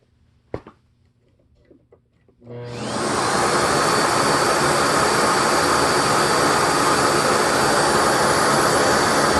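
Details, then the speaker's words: 2006 SEBO Airbelt K2 vacuum, about 6.7 A at 121 V: motor spins to a steady full-power roar during sealed suction test but the relief valve never pops, so the hose (or canister connection) leaks badly. "But I did not hear the suction relief valve blow. So, what that means is this hose leaks like crazy."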